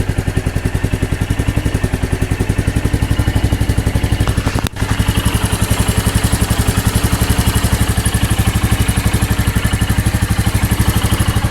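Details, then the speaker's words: Royal Enfield Meteor 350 single at idle after an oil change from the genuine oil to Motul 5100 15W50: steady, even thump of about four beats a second with no loud tapping; tappet noise reduced and engine smoother. "Sound तो काफी अच्छे से engine oil काम कर रहे है और काफी अच्छा है"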